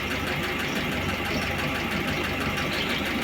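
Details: VAZ "kopeika" classic on a cold start, indoors: a quick, light ticking knock over the engine note, steady with revs, from a worn used old camshaft due for replacement; the choke cable also slips.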